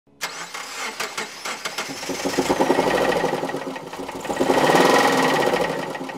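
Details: 2008 Subaru Impreza running badly: uneven lumpy stumbling beat, about three to four pulses a second; one cylinder dead with zero compression and oil-soaked plug, traced to broken passenger-side camshaft from low oil.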